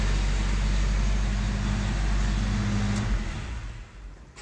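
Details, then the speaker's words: 1991 Toyota 4Runner 22RE with an intermittent single-click no-start despite a new starter, battery charged to about 12.8 V; this time it starts and runs with a steady even low rumble, slightly rough, then winds down. "started it wasn't starting before of course I started recording and it starts"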